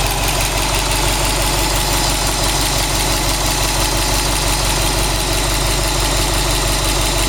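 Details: Subaru WRX STI after engine replacement, new engine 800 km, 5W40 oil, oil pressure 2 bar, oil 85°C, air 21°C, all original parts, no tuning: steady idle with fast fairly regular tapping over engine note; abnormal idle noise, source undetermined.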